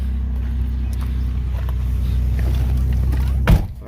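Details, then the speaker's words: Pontiac Montana van, believed early 2000s, idling with a deep steady low rumble from a mild exhaust leak, the exhaust hanging down; ABS and check-engine lights are on. "oh as you can hear actually it doesn't sound too bad we have a little bit of an exhaust leak I guess it's hanging down a little bit"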